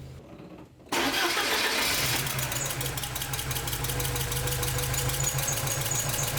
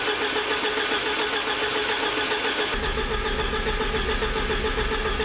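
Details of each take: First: 1986 Porsche 944 Turbo (951), after replacing blown fuse 41 that caused no-start from lack of fuel pump power: brief crank, quickly catches and settles into steady even idle with no misses or knocks. Normal start and idle; no-start solved. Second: 1986 Porsche 944 Turbo (951), sitting over a year after cutting out while driving: steady starter cranking, even compression pulses, never catches; fuel rail gauge shows zero fuel pressure, fuel pump or its circuit suspected.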